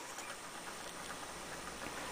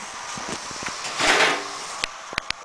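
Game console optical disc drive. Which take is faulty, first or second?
first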